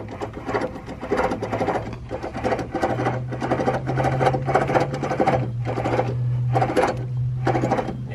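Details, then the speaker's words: 2004 Crown Victoria, brake assembly and rotor removed, hub turned by hand: gritty grinding rasp repeating with each turn; vibration and humming were felt from that side while driving. Worn, bad wheel bearing. "so that's the rolling that I'm filling in the wheel that's no bueno it means the bearings are bad"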